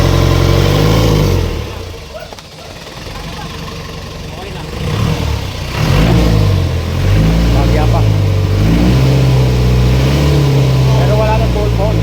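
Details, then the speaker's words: Isuzu 4BC2 diesel in a jeep after the injection pump was refitted to fix a knock: a low, even idle that revs smoothly and drops back with no knock. Normal running; idle is just set low. "Yung makina ano siya ngayon palag talaga mababa lang ang menor"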